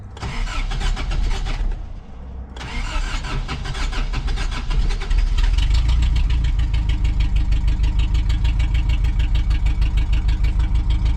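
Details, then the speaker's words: 1987 Toyota 4Runner engine after rebuild, sat long, distributor re-stabbed one tooth because timing seemed one tooth off; cranks, catches, settles into lumpy idle pulsing about three times a second: rough idle from incorrect ignition timing. "Maybe I'm one tooth off. I'm gonna try stabbing this distributor one more tooth off."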